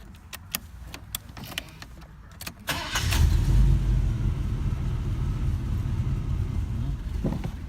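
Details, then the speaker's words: 1985 Oldsmobile Cutlass 442 after a starter replacement (the old starter gear wasn't retracting and kept hitting the flywheel): quick, even cranking under three seconds, then a steady low idle with no starter grinding; normal start. "Now I can lower it and start it. Now I'm going to start it up, see if it's making any noise."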